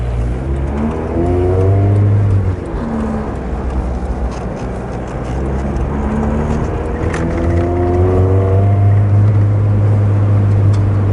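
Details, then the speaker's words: Engine after an exhaust-intake swap, on a test drive pulling through low revs: deep, even exhaust rumble, no knocks or misses, running smoothly in the bottom end. "Still all running nice and smooth down in the bottom end."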